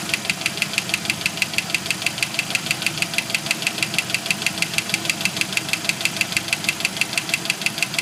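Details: 1991 Jeep YJ 2.5L at idle: sharp, even knocking about three per second; knock stops around five seconds in and gradually returns. Owner suspects broken piston skirt and failed lifters on cylinders 2 and 4, earlier thought loose rocker arm.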